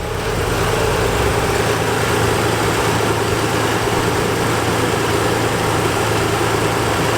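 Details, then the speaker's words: 1987 Nissan 300ZX V6 3.0 at hot idle in the engine bay after a hard test drive: smooth, even low hum, no ticks, knocks or misses, no leaks or smoke; healthy. "I mean, everything is looking like it should. It sounds like it should. I don't see any leaks. I don't see any smoking."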